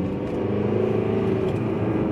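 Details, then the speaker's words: VW 1.9 TDI that jerked in a certain rev range, after replacing the wiring harness in the cylinder head: smooth even pull through the midrange, about 54 km/h in third gear, no stutter or hesitation. "herrlich herrlich ehrlich ich bin hier bei ja im drehzahlbereich im drehzahlbereich das sonst immer die probleme gemacht hat keine probleme"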